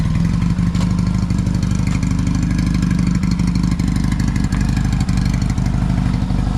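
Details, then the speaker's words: 1981 Yamaha XS650 twin, revived after years sitting, parked at idle, which others believe is possibly a rebuilt motor: deep, even thudding pulse with regular firing and no misses or knocks. It seems to start well and idles beautifully. "so bikes parked runs beautiful seems to start up quite well"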